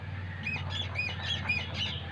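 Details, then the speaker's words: Mahindra Xylo propeller shaft removed and turned by hand: high "kee kee" chirping squeaks, about six in two seconds, from a dry universal joint; other joints and U-cross silent; creaking heard while driving. "ഈ ഭാഗത്ത് നമ്മൾ തിരിക്കുമ്പോൾ sound കേൾക്കുന്നുണ്ട്. ഉണ്ടോ, ഒരു key key key key എന്നുള്ള ഒരു sound,"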